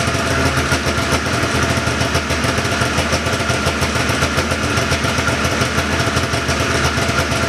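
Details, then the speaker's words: 1979 John Deere Cyclone 340 vintage snowmobile two-stroke after carb cleaning, no airbox or filter fitted: quick even popping at steady, slightly high idle with no stumbling; idling pretty good, could use slight adjustment; normal idle. "a simple case of a carb cleaning that's really all she needed to get going again seems like it's idling pretty good"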